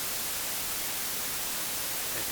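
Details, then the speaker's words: AC-2EX aircraft intercom plugged into a 9er Systems USB interface for recording: a loud, even hiss covers the whole range with no tone underneath; the noise floor jumps as soon as the intercom is connected, cause unknown. "And now as soon as I plug in, the phone, crazy noise floor."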